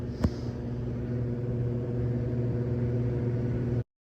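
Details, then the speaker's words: Commercial ceiling air handler after evaporator blower wheel replacement (the detached wheel had jammed the blower, causing banging and a burning smell): steady, even low hum with a smooth whoosh, no scraping, rattle or wobble; runs normally. "好，看开始了，就看听到没有？没问题了，看这儿马上就有另外一台，好了，开始了。对，转了，没问题了。"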